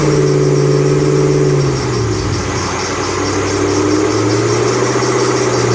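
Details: 2008 Bullitt Mustang, 8-rib serpentine belt, the morning after sitting overnight in the garage, under 30 miles driven: a steady high chirping squeal dips and returns as revs change, a slipping serpentine belt.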